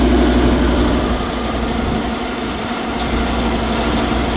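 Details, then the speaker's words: Trane unit at a restaurant, condenser fan motor not over-amping but failing; a loud, rough, rumbling drone with a steady throb about four times a second. "that sounds like junk I'm waiting to see if it's going to show a drive fault let's see what kind of false it shows we definitely got a motor going back"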